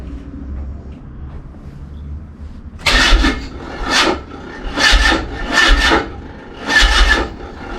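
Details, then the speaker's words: Mazda MX5 under restoration: the starter grinds through slow, drawn-out turns, about one a second, and never fires; lazy slow cranking with no start. "It's a bit lazy, that, like. Very lazy, isn't it?"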